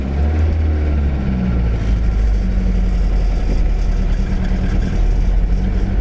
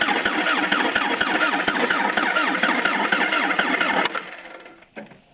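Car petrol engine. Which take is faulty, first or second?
second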